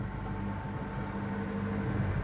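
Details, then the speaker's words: Lada Niva 4x4 just taken down after about a month on its side on a rotisserie, engine turns and not hydrolocked: quiet, steady low exhaust hum at an even idle with no misses or rattles; normal idle. "ah yes there we go running nice Bradley it's the exhaust you can hear [Music] but it is working that's nice"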